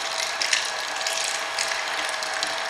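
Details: Hobart A200 food mixer right after reassembly with gears transferred and keyway fitted, covers still off; dense even mechanical whirring with light ratcheting clatter, no heavy knocks. Normal running, repair works.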